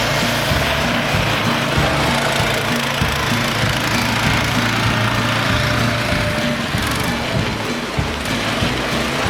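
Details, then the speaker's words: PermaGreen Triumph fertilizer spreader just repowered from a hard-starting Honda to a new Briggs Vanguard 6.5 hp single-cylinder engine, first start after rewiring the handlebar kill switch: runs smooth, steady and very quiet with no knocks or misses; normal running. "Alright, it's ready. Let's fire it up. Man, that thing sure is quiet."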